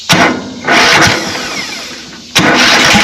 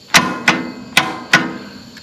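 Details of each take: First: Riding mower that intermittently only clicks when starting. The meter was on the starter's small spade terminal with the key turned to start and read about 9.5 volts. A couple of clicks, cranking, then the engine catches and runs steadily. Normal crank and start. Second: Riding mower with no-start: key turned gives sharp single solenoid clicks a few tenths of a second apart, no cranking; only 7.3 V DC at solenoid wire versus 11 V at battery, about 4 V lost at connections.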